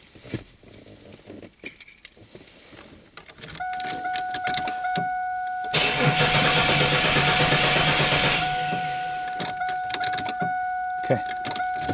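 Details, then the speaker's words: 2001 Chevy Camaro that stalled, then would not restart: the starter spins evenly for about three seconds and the engine never catches. Fuel pressure at the Schrader valve reads zero with no fuel, pointing to a failed fuel pump. Crank, no start. "I did not see any any fuel coming out of the as I was telling my hose into it so and pressure is zero let's crank it again"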